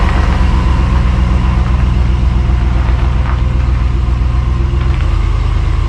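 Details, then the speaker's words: 1993 Chevrolet K3500 7.4L 454 TBI after replacing a bad starter motor: fast, even cranking around four beats a second, strong without dragging. New starter cranks quicker than the old one. Normal cranking. "for all right that starter sounds good you can tell it has a little more pep than last one a little quicker"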